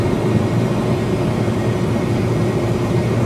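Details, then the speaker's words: 2014 Kia Forte EX cruising on cruise control around 50–60 mph: steady roar with a thin, high scream constant on top, worse than a vacuum leak; source unknown, loud whine while driving. "okay cruise control is set I don't know man that sounds so bad"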